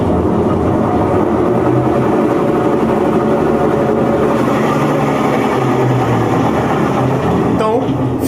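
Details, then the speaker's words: Brastemp top-load washing machine, after its control board was replaced: loud, rough continuous rumble during spin, described as a classic, recurring mechanical problem. "olha o barulho que essa máquina está fazendo galera esse é um problema clássico de mecânica ok"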